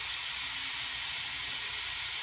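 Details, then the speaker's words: Pool pump refill after cleaning, water flowing back in reverse with the air valve open: steady, even rushing hiss of air escaping, louder as the second side opens, no knock or rattle; normal air bleed. "i open up the other side and you'll hear the hissing gets louder because more water flowing through there"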